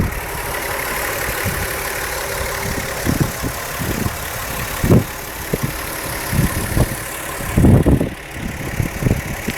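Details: VW Jetta engine at idle and revved to 1500–3000 rpm: irregular loose rattles flaring with rev changes, caused by worn OEM intake manifold runner shift rod bushings; fixed by replacing the bushings or shift rod.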